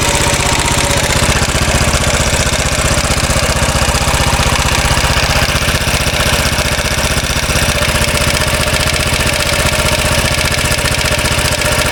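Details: 2013 Royal Enfield Classic 500 single, reassembled after teardown to remove stray M5x35 bolts: decompressor noise gone, idle with a fast even metallic rattle about four a second, likely top end; oil level okay, owner to check tappets and rockers.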